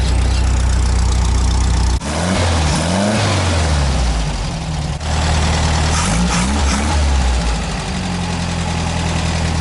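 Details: VW Fusca (Beetle) after quick install of a Bosch electronic ignition, roughly timed then set with a timing light: engine settles into steady idle and picks up cleanly on light blips; later slight hesitation under full throttle in third, suspected high-tension leak (distributor cap/rotor).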